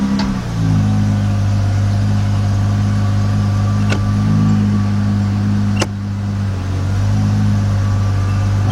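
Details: 2013 Dodge Charger 3.6 that needed a jump start and stalled when put in gear, here jump-started with no check engine light on. Steady low hum holds firm when dropped into gear, no stumble or stall, a few light clicks; idles normally in gear.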